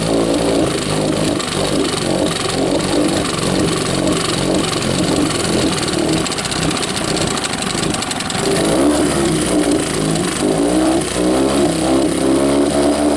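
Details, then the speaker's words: Rebuilt 1963/64 Evinrude 40hp two-stroke outboard, out of gear, restarted with a little throttle and choke pulled: uneven revving with irregular coughs and stumbles, the "Evinrude sneeze"; mixture adjustment tried next. "It's got an Evinrude sneeze. That's what they call the Evinrude sneeze. That's when they start coughing at you."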